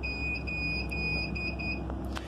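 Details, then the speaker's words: Hikvision/HiLook DVR beeping continuously, typically after frequent power on/off: steady piercing high beep over low electrical hum, then cuts off; resolved by rebooting the DVR from the menu. "my CCTV camera is continuously beeping so in this video I will tell you how to resolve this problem when your DVR is continuously start beep like this"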